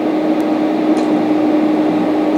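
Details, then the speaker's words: Santa Fe Compact dehumidifier, dehumidistat dial turned on during defrost thermostat check: compressor starts with a steady low-mid hum at one pitch, no rattle or clicking; compressor running normally, indicating the defrost thermostat is good. "Now we're going to be listening for the compressor to come on, so you may want to put your hand in the unit. You should hear a slight hum or feel a vibration when the compressor comes on."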